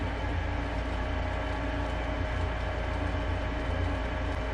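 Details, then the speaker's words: Lennox furnace after inducer motor replacement (old motor had a bad bearing, ran hot): igniter lights, flame on, steady even low hum with smooth airflow, no rattles or surging; running normally. "so you should actually see the igniter on right now there goes the flame okay well that sounds much better"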